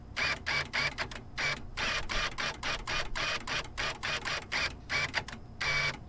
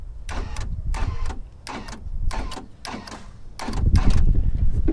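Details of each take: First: 1997-2001 Jeep XJ power door lock actuator, opened on the bench with stripped gears inside, then plugged in: repeated short buzzing motor bursts that whir and cut out without a firm final clunk; stripped actuator gears slipping, replacement needed. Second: 1997-2001 Jeep XJ power door locks after a wiring repair inside the doors: crisp paired clunks about four a second in bursts as the locks cycle, actuators snapping firmly; working as they should, though one door's latch is suspected bad.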